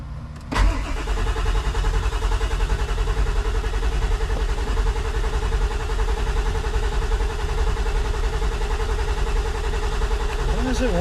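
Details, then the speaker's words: Ford 7.3 diesel cranking at 160–170 rpm after glow plug cycle: steady slow starter cranking with no firing; injector control pressure only a little over 300 at 65 percent, cranking no-start. "okay so we spinning fast enough at 160 170 RPM we're only getting a little over 300 on the injector control we are getting 65 percent"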